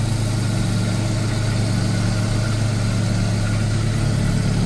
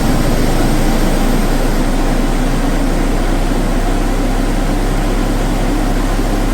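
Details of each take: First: Mazda RX7 FC rotary, idle about 1,100 rpm after coolant change and flooding fix, no crankcase blow-by at oil filler; even steady low idle with no misses, surges or knocks, running smoothly. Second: Mazda RX7 FC rotary that would not start due to flooding, cranked with no throttle using de-flood; heavy uneven low rumble with loose pulses as it just catches, smoky and nearly dying, running rough.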